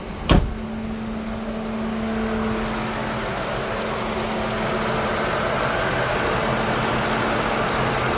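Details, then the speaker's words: Lincoln Town Car after replacing the electric radiator fan motor, which had worn out after 19 years; engine warm at normal temperature, thermostat open. Steady, even fan whoosh building to a smooth constant rush over quiet idle; normal cooling fan operation. "Boy, it's good to hear that fan going. Yeah, I haven't heard that for a while, guys."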